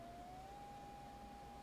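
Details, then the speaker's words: Elecraft K2 kit, side tone pitch set to STP 0.60 (600 Hz), held up to the mic. A clean, steady tone rises slightly, then holds level with no warble. Normal side tone. "This indicates the side tone pitch is set for 0.6 kilohertz or 600 hertz. hold the edit to turn on the side tone."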